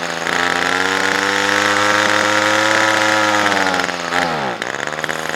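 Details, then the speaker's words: Titan strimmer, always hard to start, not run all year, on half choke warming with a bit of throttle: high buzzy two-stroke note holds then sags and drops away unevenly; hesitant after storage. "this is a Titan strip now it's always been a bit of a pickle to start but we'll see how we get on"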